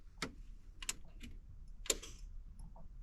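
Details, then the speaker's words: Foxbody Mustang with altered fuel pump wiring, key turned forward: a few soft relay clicks in a quiet cabin but no fuel pump buzz or prime, so the pump is getting no power. "I heard a relay click, but I do not hear a fuel pump. Okay, so we're gonna have to investigate that one."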